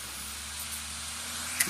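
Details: Computer disc drive burning a disc (test run): steady airy whir with faint low hum as disc spins at full speed, revving up as laser writes, air felt coming out; even, no rattle, normal burning spin.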